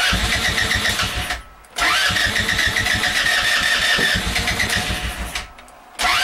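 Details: Go kart small engine, cold start in snow just above freezing, starting spray used: fast chugging cranking bursts about four a second with pauses between tries; nearly catches but won't keep running, hard cold start.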